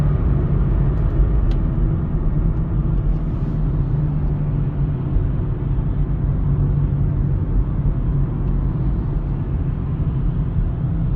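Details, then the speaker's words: 2009 Chevy Cobalt on the freeway at about 45–60 mph: a low steady hum from a worn front wheel bearing under road noise, due for replacement; it is not the cause of the steering wheel vibration. "like I said I can hear the wheel bearing so I am going to replace that but definitely not causing the vibration of the steering wheel"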